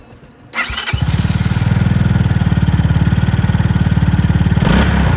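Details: Venom X22R Max 250cc motorcycle started after oil cooler replacement and an oil top-up: starter whirr, then it catches and settles into an even, steady thumping idle at about four beats a second, no knocks; normal start and idle.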